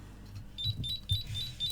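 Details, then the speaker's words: GHD hair straightener PCB on the bench, previously dead, now powered up: short high electronic bleeps about four a second over a faint low hum; control board beeping. "It is bleeping. Hopefully you can hear it."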